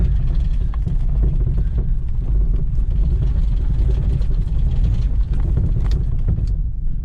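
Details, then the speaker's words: 1999 Jeep Cherokee XJ 4.0L that won't idle, jump-started then driven: low uneven rumble sagging and stumbling under load, barely alive, then stalls out. "Ah, stalled out. Come on, you got one more in you? No. Darn it."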